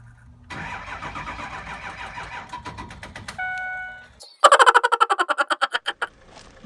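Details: Ford E350 Econoline 6.0 Power Stroke diesel cargo van cold start after long sitting: starter turns the engine over in a quick laboring chatter for about a second and a half, never catches; batteries too weak.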